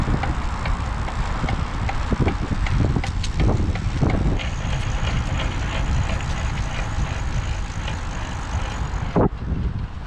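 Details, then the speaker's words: Raleigh Joop Zoetemelk steel road racing bike ridden in first snow: irregular dry clicks and a faint harsh rasp under wind noise while freewheeling, from a failing bearing in the 5-speed rear cassette/freewheel. "When it's freewheeling, the sound is harsh too. Last summer I learned that that sound means a bearing that will break soon."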